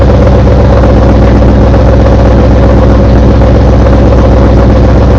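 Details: Car just fitted with CMS stage 2 blower cams, started up with heavy, fast rhythmic knocking about four beats a second over a deep idle rumble; cause not yet found.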